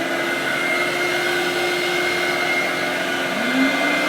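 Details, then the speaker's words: Ashbys Enforcer carpet cleaning machine, in-series twin vacuum motors with soft start, no silencer fitted: steady high motor roar with whining tones, motor 2 starts first, motor 1 winds up seconds later; both run smoothly, normal. "First of all, you'll hear vacuum motor number 2 come on. It's because they're an in-series vacuum system. And the soft start means that it starts number 2 first, and a few seconds later it will start vacuum motor number 1."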